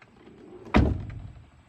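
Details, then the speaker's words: Frameless window glass on a new Tesla Model X rattles with a short buzzy chatter after a hard door slam, on both sides; service called it normal for frameless windows, and dented weatherstripping was noticed. "so that rattle on both sides come on Tesla like that's that's not a hundred thousand dollar car"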